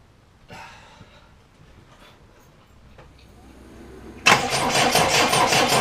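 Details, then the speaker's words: Triumph Dolomite with static ignition timing just set: a quiet stretch, then steady rhythmic cranking that never catches. The spark tester on the plug leads is checked, and a test at the coil terminals shows absolutely no power reaching the coil. "I really need to be on this back from the coil when I first interject see if there's any power to the coil so that's the positive and that's a negative but if you can see for me out it I'm getting nothing a coil absolutely nothing"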